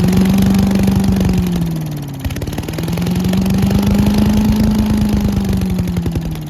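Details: Old Giant Vac leaf blower with a 1982 8 hp Briggs engine, long stored outside, on a cold day. After water was cleaned out, it drones at a fairly steady pitch, sagging once briefly then recovering: normal running.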